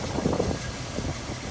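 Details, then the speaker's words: 1970 Ford Bronco, 5 L V8 with 3-speed manual, running about a minute: low, loping idle holding a steady rhythm with no knocks or misses; runs great. "yeah runs great been running about what a minute or so you can just hear it runs good"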